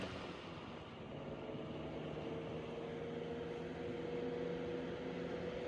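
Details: c.1915 Century Electric S2-10 10-inch oscillating desk fan, on low speed: soft steady motor hum with a faint even whine and no knocks or rattles; running normally.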